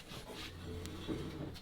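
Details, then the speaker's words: Toyota Supra with 426ci supercharged Hemi (Hellephant) swap: dry scraping rub as the wheel turns, nearly locking but pushable; wheel grinding the changed steering knuckle, aluminum dust falling out. "It locks right there. Well, it doesn't lock. You can push through it, but like barely."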